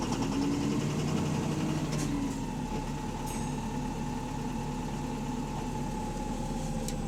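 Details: Diesel bus engine (AL HV48, route 335) idling with a rough, fast knock and a steady whine above; loud rod knock, sounds like a worn rod bearing at idle.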